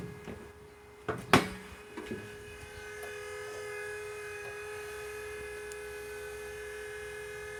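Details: Right-hand-drive Toyota MR2 SW20 turbo with the key on and the engine off: after a few clunks, a steady even-pitched whirring hum comes from the driver's side. The source is not pinned down.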